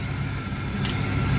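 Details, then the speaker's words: 1997 Dodge B3500 van that sat 3 years, brakes spongy and coolant empty: steady idle with a constant airy hiss and sucking; vacuum leak through the intake manifold gasket, also pulling vacuum in the crankcase at the oil fill cap. "you can hear start hissing and sucking from other [Music] places this car is not supposed to have it's supposed to have pressure not back [Music] in"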